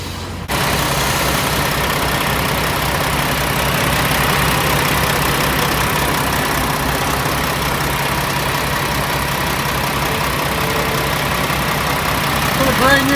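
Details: Peterbilt 579 big diesel, just back from dealership repair, ticking over at a steady, even idle with a smooth low rumble and no knocks or misses; sounds healthy.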